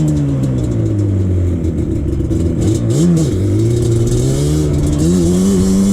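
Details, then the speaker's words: 2001 Yamaha Banshee 350 two-stroke on a POV test ride after new clamps fixed an exhaust leak: loud, crisp revving rising and falling cleanly through the gears, no puffing or spitting, pulling strongly. Normal exhaust note. "i can definitely say that it did uh perform a lot better with with uh those clamps now that it's not having an exhaust leak"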